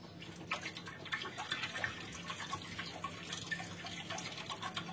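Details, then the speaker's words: Mitsubishi Xpander muffler rocked by hand: wet sloshing and splashing inside, nearly 2 liters of water trapped in the silencer with no drain hole; to be drilled underneath to drain it. "itu ya terdengar seperti ada airnya di dalam Ya seperti ada gojakan airnya Nah itu berarti menandakan di dalam sini dia banyak airnya"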